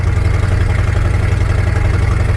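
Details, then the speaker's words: Abandoned square-body Chevy C10 driven on a dirt road: deep, loud, pulsing exhaust rumble inside the cab, far too loud; exhaust header leak needing repair. "One thing I gotta say is I like loud exhaust, but I don't like loud exhaust when it's right in my ear for the entire drive."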